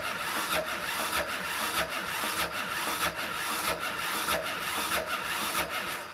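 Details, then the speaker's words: Yamaha Raptor 660 (2001-2006, exact year unknown), compression test with gauge in the spark plug hole and throttle wide open. Slow, even starter churn, roughly 95 strokes a minute, with little compression bite, blowing out the exhaust; only 50 psi, low compression. "It's like blowing crap out the exhaust. I'm getting 50 psi. That's it. 50 psi. That ain't good."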